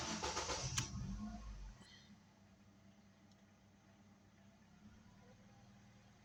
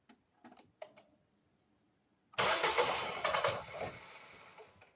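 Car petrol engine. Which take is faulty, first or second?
second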